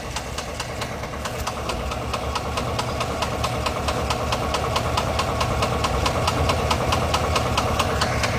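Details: 2022 GMC Yukon Denali 6.2 V8 at idle; sharp even ticking knock about twice a second, growing slightly louder; engine knock, cause unknown.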